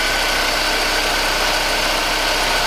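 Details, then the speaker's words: Newly bought cheap project car, near-cold start heard at the exhaust and from the front: steady, even idle with smooth hum, no ticking, clicking or knocking, A/C working; normal idle. "Korean mechanically no clicking noises no clicking noises nothing anything strange just to run very intensive even the a/c work yeah"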